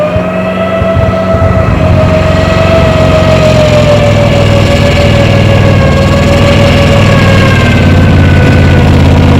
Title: Alvis Saracen APC FV603 With Misfire